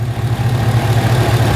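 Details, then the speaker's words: 2011 Chevrolet Camaro SS, 6.2 LS3 with long-tube headers and straight exhaust, after repair of an engine noise: fires right up into a steady, deep, even idle, no noise or earlier shake; oil pressure 30 at idle; normal idle. "barely bumped it and it fired right up so it's alive and no more noise so that was uh definitely the problem and it also had before it always had kind of a little shake to it that's now gone"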